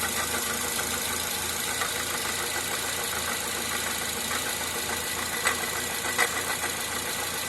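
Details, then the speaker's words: Toyota Corolla petrol engine idling with a loud irregular metallic knock that sounds like rod knock; found by removing the accessory belt to come from the water pump, not the engine. "o barulho bem forte parecendo aí biela batendo"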